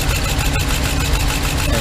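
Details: 2015 Ram 3500 with 5.7 Hemi idling with an uneven, lumpy low thump: cylinder 5 misfire, its injector getting no power because rodents chewed apart the wiring connector.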